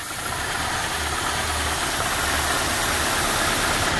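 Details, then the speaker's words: Renault Megane 1 2.0, oil-fouled plugs and oil burning, idle after a throttle blip: lumpy, uneven idle with irregular low pulses under a hissy note; mechanic notes the idle air setting was tampered with; owner reports idle fluctuation and plug 2 not firing. "Oynamışlar ki bunlar. Hava ayarı yapmışlar. Hava ayarını oradan vermişler."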